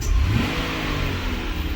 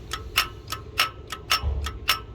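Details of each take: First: 2007 Buick Lucerne with a linear EGR valve jumped so it is commanded open at idle: the engine revs briefly, then settles into an uneven, stumbling, misfire-like rough idle caused by the open EGR valve. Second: 2007 Buick Lucerne with linear EGR valve, engine off, solenoid driven by a jump pack with driver wires jumped: sharp crisp clicks about twice a second, normal EGR solenoid actuation.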